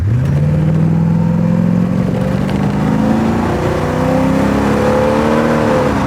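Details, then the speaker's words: Porsche 928 automatic at full throttle, probably from first gear, after Bowden cable adjustment. Engine climbs hard, then pitch drops cleanly into the next gear around 4,900–5,000 rpm. Normal automatic transmission upshift. "I'm not unhappy with how that's working now that's changing about 5,000 RPM maybe 4,900 depending on uh how it feels if it's in a good good or bad mood but that's not bad"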